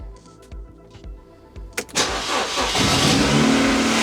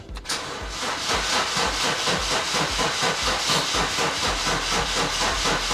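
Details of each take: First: Ford Puma, broken and sitting six months, first start after the four injectors and vacuum pipe were reconnected: brief crank, catches under two seconds, settles to steady even idle with no misfire; runs brilliantly. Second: Ford with fuel pump prime heard but sounding clogged, weak battery: steady fast cranking, about five compression pulses a second over a constant hiss, never catching; owner suspects a blockage in the tank.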